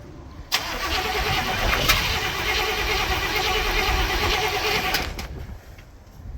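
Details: Barn-find Cadillac 7-litre V8 not run in 30+ years: the starter churns about three beats a second for several seconds with no firing; cranks but won't start.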